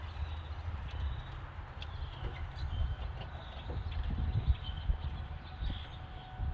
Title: Startup vid to show clacking/ticking noise 2003 4.6 2v